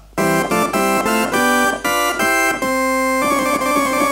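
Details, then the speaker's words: 1964 Farfisa Combo Compact organ after oscillator/tone-generator repairs and part replacements: clean sustained notes stepping up the keyboard, every key sounding; previously faulty C and D notes now fixed and working. "you can hear that the C and the D that was um going before is now amended and is working"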